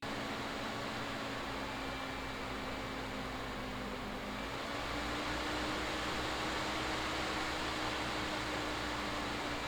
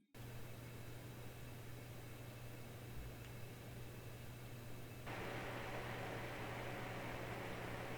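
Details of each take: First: Tiny ITX PC with AMD 3600X CPU and stock AMD Wraith Spire cooler, under light work: loud steady fan whoosh with a humming tone rising in pitch as the CPU fan ramps up; later replaced with Noctua NH-L12S. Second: Noctua NH-L12S cooler replacing the stock AMD Wraith Spire in an ITX PC, at idle and during video export averaging 52°C. Soft, even airy hush with a faint low hum, slightly louder under load, no rattle or whine; quieter than stock.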